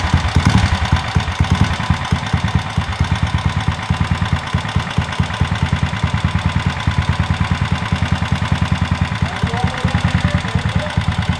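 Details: 420cc big-block single swapped into a Mega Moto 212 chassis, run after draining junk-laden oil: fast light ticking over the steady idle thump, keeping pace with the engine; loose valve lash, valves need adjusting.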